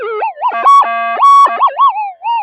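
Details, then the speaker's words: Minelab metal detector with huge monster coil, low gain, normal mode, near road, power lines and main feeders; wavering warbling tones sliding up and down with steady beeps, electrical interference noise across the whole spectrum. "yeah the whole spectrum is uh noisy listen to that I don't know if it's going to find a quiet spot or not"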